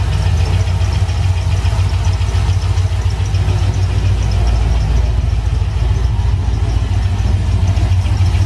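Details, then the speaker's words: C6 Corvette V8 at idle: rough idle with light, fast, uneven ticking over heavy low rumble; valve train (rocker, lifter, pushrod) first suspected, but tests point away from it, possibly the intake manifold; not confirmed. "sounds like I gotta either a rocker or a lifter or a push rod something in a valve train that's not sounding right"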